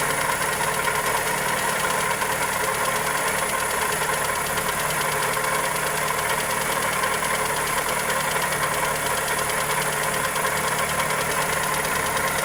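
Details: Toyota Corolla EE90 with 2E engine at idle: steady light tapping over a thin, even hum, keeping pace with slow engine speed; valvetrain or connecting rod suspected, not confirmed.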